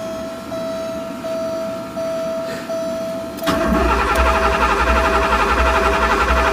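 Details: Porsche 928 V8 with open headers, sat all winter and unstarted 15+ years; thin whine then steady starter cranking about four turns a second, never catches, tach barely fluttering; crank no start from a faulty crank position sensor connector.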